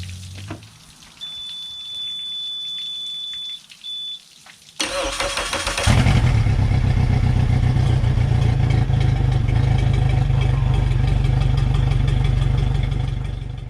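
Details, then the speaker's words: 2021 Suzuki 150 hp outboard salvaged from a hurricane, after fuel system repair by freeing a stuck fuel pump with hammer taps: warning beep, brief crank, then catches into a steady, even rumble; starts and runs cleanly. "I told you just hitting it with a hammer and a screwdriver would make it work this Baby's running time to go fishing"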